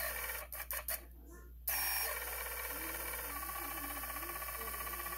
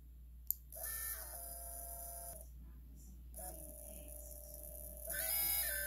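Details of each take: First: New T-motor brushless motor on an unflown cinewhoop quad spins with a gritty, rasping hiss and pulsing roughness, unlike the smooth good motors; bad, rough bearings. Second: this is what I expect from our brand-new motor especially a company like t motor good quality smooth no rough sound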